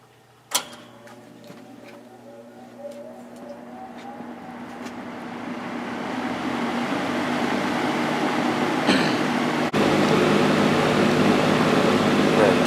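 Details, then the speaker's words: Vintage Air King V20E box fan, GE 2.1 A two-speed reversible motor, started on high, drawing 159 W: click then smooth spin-up to a steady even airy rush, quiet; normal operation. "this has a real nice sound to it it's not that loud either"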